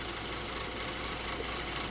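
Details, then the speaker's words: 2020 Ford Transit Connect idling smoothly after repair of false overheating codes P1299/P017D and rough idle, traced to the alternator (LIN wire suspected shorting); steady even hum, no knocks or misses, charging 13.6 V; normal idle. "So, as you can see, it is purring. Now, we are charging 13.6."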